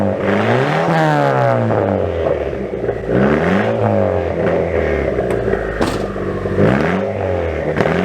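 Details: Car with new downpipe, flex pipe and resonator-style test pipe fitted to cut exhaust drone, tips not yet fitted; engine blips up and down smoothly, deep even exhaust note, no rattles or drone – normal revving.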